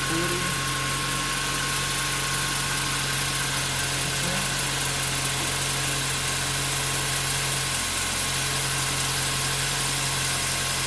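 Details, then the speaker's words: 2008 Mazda 3 manual, nearly 200,000 km, idling: constant high squeal from the front of the engine that holds its pitch, from the worn serpentine and AC belts, which the owner then replaces; worn drive belt noise. "it's coming on to 200 000 k's now and it's making some noise from the belt area"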